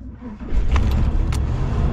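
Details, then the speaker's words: 1987 Class A motorhome engine with an old carburetor, after sitting some days so fuel has drained and evaporated, gas pedal pumped: short quiet crank, then it catches and settles into a low rumble; hard start from fuel evaporation. "it's an old carburetor some of you already know this the fuel kind of leaks down out of it evaporates uh quickly"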